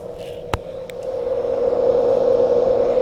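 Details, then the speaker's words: Carver C-19 preamp with intermittent noise in the audio output: a steady mid-pitched buzz swells in and holds. It responds to tapping and seems microphonic, yet it persists with the vacuum tubes removed, so the cause is not yet found. "you hear that sound and when we tap on it it is actually microphonic so you would think that the problem is that the vacuum tubes have gone microphonic"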